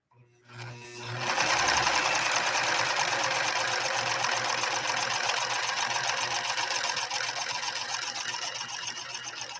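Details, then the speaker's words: Serviced White Model 742 sewing machine zigzag-stitching through two layers of Italian leather: a fast, even, light and quiet rhythm with no clunks. It was clunky and loud before service and now runs smooth. "was really clunky and really loud when it first came to the workshop now I think it's ridiculously quiet almost whisper quiet"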